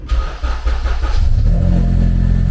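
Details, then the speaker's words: Honda Civic K20 swap, starting after a coolant leak fix, no silencer fitted: engine catches into a deep, booming, very loud idle with raw exhaust bark; loud exhaust needs a silencer. "so as you can hear it is loud we do need a silencer but it does sound trophy"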